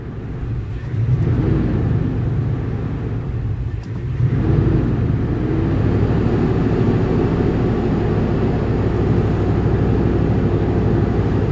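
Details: Lightly beat-up Ford Explorer bought at auction, running rough at idle after sitting: low uneven lumpy pulses; scanner shows system failure, poor O2 sensor readings, throttle at 19; owner suspects throttle position sensor, unconfirmed.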